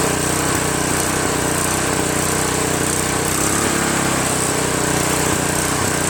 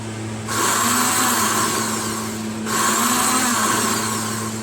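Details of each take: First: Craftsman OHV 5.5hp 26-inch dual-stage snowblower, after its surging carburetor was replaced with a Chinese copy and the fuel line and primer hose were reconnected: it settles smoothly after starting into a steady, even idle with no hunting or surging. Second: Snowblower electric starter: two short bursts of high, even free-spinning whirr with no cranking thump, pinion not engaging flywheel because the gear is seized on the shaft; fix is lubricating/penetrating oil.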